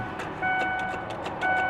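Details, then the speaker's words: V8-swapped small truck at auction, listed as non-running, battery has power, nearly full tank: quick regular relay clicking under dash chime, no starter whir or cranking; suspected bad starter solenoid or faulty wire. "I hear a relay [Music] I don't hear the starter not at all"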